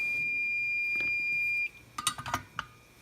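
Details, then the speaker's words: Hakko FX-951 soldering station after taping over the speaker to dampen it: steady beep for about a second and a half as the iron reaches temperature, muffled and softened, then sleep. Temperature-ready beep, muffled. "so we've reached temperature it's a nice low beep and it goes to sleep"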